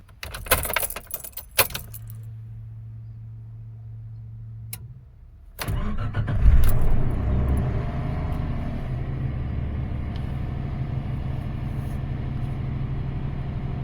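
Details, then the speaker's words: 1995 Suzuki Escudo cold start after sitting over 24 hours, after the idle speed and fast idle valve were set. It cranks, catches and settles into a steady raised fast idle with no misses or squeal, running fine. "excellent fast idle that it has no sing nothing all right this is done where the engine is concerned"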